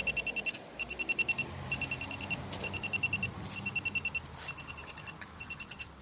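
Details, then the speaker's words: 2017 Chevy Malibu AC: electronic leak detector gives rapid high-pitched beep bursts with all LEDs lit when the AC service valve is depressed, detecting refrigerant at that valve. "when I depress that valve hear it beeping all the LEDs going"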